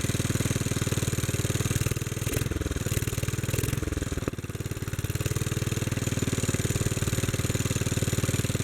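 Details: Bolens garden tractor, possibly 1957 (tag Type 21HD01), single-cylinder petrol engine, first start after sitting many years; main jet opened after it died running lean off choke, now running with choke fully open at steady, even low thump, firing cleanly.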